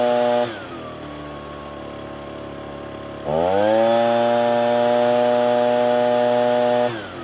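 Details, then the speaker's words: Ryobi BP42 backpack blower (two-stroke) after replacing gummed-up carburetor, air filter, fuel filter, primer bulb and fuel lines; mixture being set with a Pac-Man tool: steady idle, clean rise to held high speed for three seconds, then drops back. "we're going to try to do it while it's running so we can hear what it sounds like but we're gonna do this closest one"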